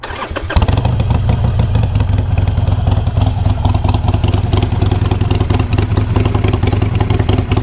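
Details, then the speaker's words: Used Harley-Davidson Sportster V-twin, slow to start: catches after short crank, lumpy loping idle with loose metallic rattle on each beat, coming from around the exhaust area and heard when kicked; cause unknown. "but there is a little bit of a Rattle and the rattle is coming back to right around this area you can even hear it when I kick it"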